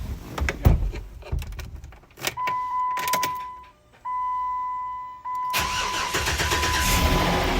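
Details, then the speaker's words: Jeep after intake manifold gasket job, fault traced to new connector with paint on its contacts: steady electronic tone, then engine catches and runs strong and even; normal engine start. "Oh, she works like a top, man. Something very basic."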